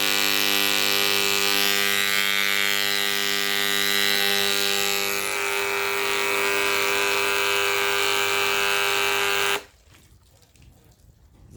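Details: Malysh vibration well pump after repair of a fault where it hummed but didn't pump: steady, strong electric buzz without stutter, then stops. Now pumping normally, though pressure seems lower after the repair.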